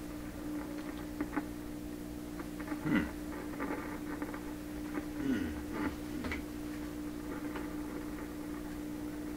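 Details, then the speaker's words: 1928 RCA Victor Model 28V radio after capacitor replacement, not receiving: steady hum with irregular crackles and pops; noise traced to loose mechanical connections, gone once tightened. "it's quite loose [Music] all that noise it's gone I you like that eh just those mechanical connections"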